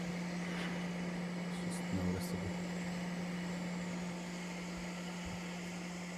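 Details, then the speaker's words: Reassembled CPAP machine with a 3D-printed replacement impeller, fan not yet balanced: steady low hum-tone over the blower airflow, slight whine from imbalance; working well and not loud. "she's whining a little bit i haven't balanced the fan yet but uh it's working excellent and to be honest the line isn't that loud at all"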